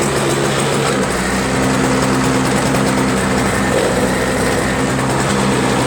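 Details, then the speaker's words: Toro Snow Commander 7HP R-Tek 24" single-stage power-propel snowblower, previously no spark and no start; after disassembly and a cleaned-up ground wire it has spark again without magneto replacement. Steady, even drone with no misses or surging: normal running. "got this thing running again I just took off took it apart something moved whatever ground it better cleaned up the ground wire a little bit better"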